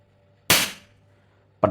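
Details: Sharp Innova air rifle after chamber repair, test after seven pumps: sharp loud crack with quick clean decay and no hiss after; rifle fires strong and healthy.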